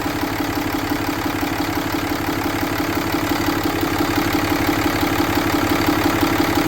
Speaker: Okay, let's fire it up and see if we do good. Seems to run pretty good.